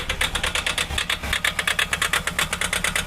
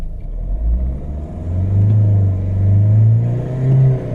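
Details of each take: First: Mahindra XUV500 diesel at idle: fast, sharp ticking knock about three a second, sounding as if something is broken; cause suspected, not confirmed, to be checked with a scan tool. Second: Mahindra XUV500 diesel after repair and air bleeding, no warning lights: deep, even rumble rising smoothly with revs, the earlier tapping noise gone; normal running.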